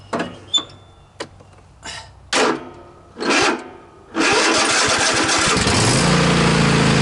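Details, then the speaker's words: Cub Cadet XT1 46-inch riding mower during a starter-cable voltage drop test: several sluggish, uneven cranking bursts before it catches and runs. About a 2 V drop was seen, well above the 0.5 V limit, with crusty connections. Slow cranking from high voltage drop in the starter cable. "Yeah, if you seen that, I had about two volts. Two volt voltage drop. That's not good."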